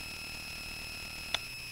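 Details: Touch Board, plugged in, audio output: faint constant high whine with one small click; noise gets worse during playback; cause unconfirmed.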